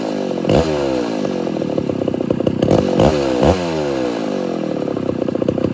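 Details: Homelite Super XL-925 82cc vintage two-stroke chainsaw, governor blocked off, dull chain with shallow rakers: revs surge and sag unevenly with sharp blips; too lean on low-speed circuit, richened about a quarter turn.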